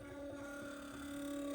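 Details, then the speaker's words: Stepper motor on A4988 driver controlled by ESP8266, switched from eighth to quarter microstepping: loud steady buzzing whine with crunchy edge, attributed to microcontroller too slow to step smoothly. Suspected loud, rough stepper whine at coarse microstepping. "Yeah, very loud. It's also kind of crunchy. Uh, and that's just because the uh microcontroller that I'm using isn't fast enough to drive the the steps um smoothly."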